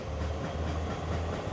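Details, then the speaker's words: Toyota GX81 Mark II, naturally aspirated 2JZ, six-speed R-series gearbox from a Great Wall V200, on chassis dyno rollers; deep droning "nang nang" throb several times a second under load. Suspected tail shaft resonance or dyno chassis, unconfirmed. ">> All right, so we immediately we've got a noise in the back. What do you reckon that noise is? >> That nang nang nang nang. That'll be tail shaft resonance probably."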